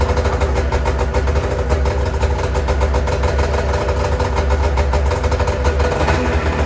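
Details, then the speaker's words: Freshly rebuilt two-stroke snowmobile race sled on first startup after a new power valve: a loud, choked drone with an uneven, lumpy beat; the servo motor isn't cycling open; it sounds like a plugged exhaust or running on one cylinder, cause suspected; rough running. "Terrible. Sounds like the exhaust is plugged. That's what it sounds like."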